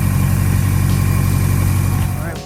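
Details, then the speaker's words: Subaru GC8 after being damaged, restarted with hood open: steady, even low idle rumble, no knocks or misses, before tailing off; seems perfectly fine, though weird behaviour earlier and car still acting funky. "it's all good it seems perfectly fine that was weird"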